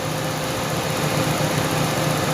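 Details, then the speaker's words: Citroën, gas-converted, stumbles and loses power around 2,000 rpm on petrol but runs fine on gas: irregular dips and thumps about every quarter second, engine stumbling as fuel pump supply voltage sags to 11 then 10 volts instead of 12. "นี่เห็นมฮะ11ช่วง11นี่เครื่องจัสะดุดนะครับตึ๊กเครื่องจสะดุดนะะ"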